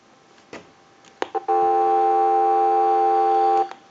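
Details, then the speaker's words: Final checkout of a repaired PTT rotary desk telephone made in Holland, with dial tone sent from an analyzer after a ring cycle. A couple of clicks, then a clear, steady dial tone for about two seconds: normal dial tone. "we'll give you some dial tone you should be able to hear that dial tone now"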